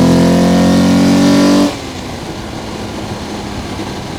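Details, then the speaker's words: Alfa Romeo GTV 3.0L Busso V6 fitted with an aftermarket air induction kit, microphone under the bonnet while driving: deep, loud intake roar rising with revs under load, cut off sharply on lift-off. "I'm just going to drop the microphone now under the bonnet carefully and see if I can get any of that air intake noise directly into that microphone whilst we're driving along."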